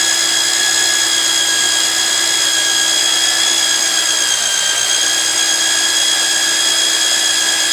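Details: Magnetic drill used like a drill press, drilling steel plate with cooling lube; constant mid-pitched motor whine holding speed under load, cutter biting steadily, no chatter or grinding, normal.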